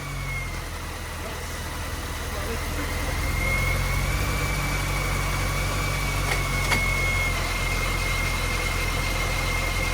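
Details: Supercharged MINI project that cranked but wouldn't start, fixed after reseating the crank sensor that wasn't flush, now idling: steady, even idle with a faint constant high whine, no misses or knocks; normal idle.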